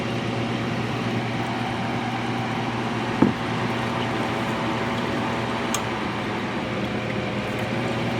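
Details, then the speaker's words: Philco Noiseless 6800 BTU window air conditioner, compressor running: steady low drone with an even mains hum and one brief click, no knocking or rattles; normal compressor running. "i know don't short cycle the compressor i just want to hear it run"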